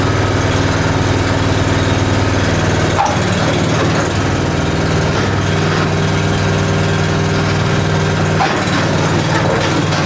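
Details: Honda small single-cylinder engine with 6.1 hours, sat since last spring, started cold on choke on a cold morning; putters at a steady idle with an even beat and no knocks, misses or rattles; sounds healthy.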